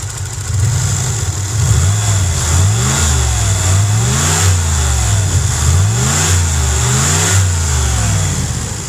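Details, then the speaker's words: Cadillac with 300 HP Northstar V8 and cable throttle, just started after a fuse fix, running not perfectly: revved up and down repeatedly, raspy ticking edge from a broken exhaust, exhaust leak under the car. "There's definitely an exhaust leak under there."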